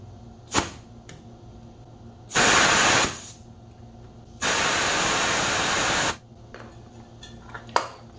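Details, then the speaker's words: Home AC outdoor unit with rattling noise, R22, overcharged at about 100 on the manifold gauge: two bursts of refrigerant hiss while bleeding down. At just over 80 the unit ran quietly without the rattle and cooled well. "조금씩 어 가스 빼보면서 체크를 해 보도록 할게요네"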